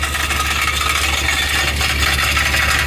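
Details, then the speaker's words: Toyota Previa at cold idle, after 150+ miles at 75 mph running lacquer thinner through the cats for P0171/P0420 codes: light metallic buzzing rattle over exhaust note, owner suspects loose element in upstream catalytic converter; rattle earlier faded once warm. "that's coming from the exhaust pipe I'm pretty sure that cat this one right there has a loose element in it it's just vibrating around"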